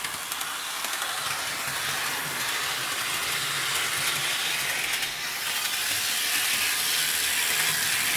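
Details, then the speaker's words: Athearn RTR C44-9W model locomotive after motor replacement, running on layout track: small electric motor hums with fast even clicking of wheels over rail joints, a bit noisy but smooth; normal running. "all right now the loc's on the tracks let's run all right it runs great there it is it's a bit noisy but it's all right"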